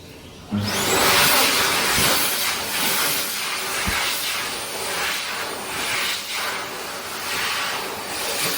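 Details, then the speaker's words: Healthy U2 hand dryer built 2019, filmed 2022 after over 2 years in service: abrupt start into a steady, loud airy rush, smooth and even with no rattle, grinding or wavering; normal operation. "next we'll look at another healthy U2 which was built in 2019 this video was filmed in 2022 but the dry still been in service for over 2 years at this point and still sounds just as healthy to this day"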